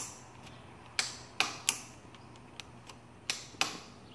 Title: Clicking noise from solenoid! 2015 Yamaha Raptor 700SE won't start!